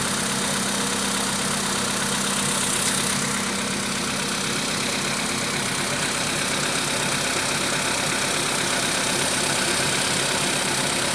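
Busy idle with an irregular knock at roughly two to three beats a second over the engine; knocking present, cause not identifiable by ear.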